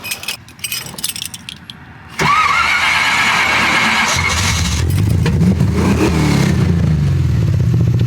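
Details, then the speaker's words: 1979 AMC Spirit AMX, AMC 304 V8 converted from carburetor to ACES throttle-body EFI, manual transmission: handling noise, then the starter catches and it settles into steady idle. It stalls when clutching in, and the owner suspects overfueling on clutch-in and plans to change an EFI setting. "that shut off when it goes in when I clutch in is really my only big problem the shut off when I when I clutch in that is the only problem I'm running into"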